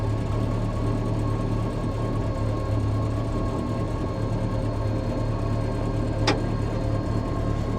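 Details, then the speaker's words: Bombardier Bombi with Holley Sniper 1100 fuel injection and 60 psi pump, after manifold crack repair and new coil, no throttle: steady even low rumble, no puffing or ticking from manifold; much quieter, though engine later cuts out after idling. "Okay. That's actually sounded pretty good. Boy, does that thing ever run a lot more quiet now."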